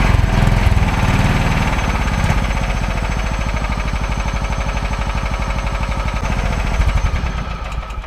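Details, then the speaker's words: Kawasaki-engined mower with a 5-speed transmission, fired up to check how it runs: engine catches, settles into a quick, slightly uneven putter, then winds down; starts easily and runs fine. "Nothing runs like a deer. Well, I would say that sounded pretty doggone good."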